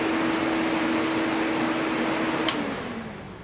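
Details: Kawasaki KFX700 quad on fresh gas after carburetor cleaning and timing chain check: steady rev then one sharp pop as revs fall off throttle, still backfiring into the intake though slightly more throttle-responsive; owner suspects stuck valve or timing chain.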